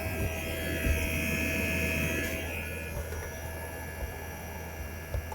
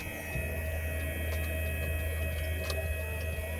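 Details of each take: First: 2008 Mercedes CL63 AMG (C216) dynamic seat air pump, new pump run on active test, heard from the trunk: steady low electric hum with no rattle; pump runs, but pressure only reaches about 240, far below expected. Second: 2008 Mercedes CL63 AMG dynamic seat air pump, newly replaced: steady hum that never cycles off, with a hiss near the trunk side; stops when unplugged. Suspected air leak in a line, so pressure never builds.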